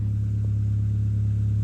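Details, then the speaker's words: Copart crash-damaged car with 57,132 miles and a weak battery, idling: a loud, deep, steady rumble with a boomy, V8-like exhaust note; an exhaust blow that needs sorting. "Christ, that exhaust is loud."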